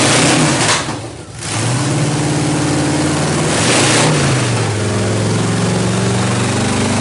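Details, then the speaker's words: 1931 Ford Coupe hot rod swapped from a big block to a stock truck 305 small block V8, radiator not yet installed, chrome headers still to come: catches after a short crank, settles into a loud, lumpy but even idle with blips; normal start. "Just a 305 small block, nothing special as far as I know. It's just a stock motor out of a truck. To me it sounds pretty crazy though."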